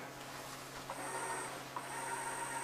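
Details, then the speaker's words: Sony CDP-CX300 300-disc CD changer after replacing its three belts: smooth, quiet motor whine with faint hum as the carousel turns, no more clicking. "no more clicking. I think turning around 5."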